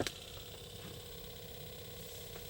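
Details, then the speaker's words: 2013 Toyota Highlander 2WD, 117,000 miles, engine not started, cabin heater/AC fan switched on: faint irregular clicking in a quiet cabin; failing blower motor in the passenger footwell needing replacement. "I will raise the speed obviously all of you experts you know immediately what it is it's a typical for Tota vehicle vehicles and Honda vehicles the blower motor is failing and it starts clicking like this and it's time to get rid of it replace it with a new one"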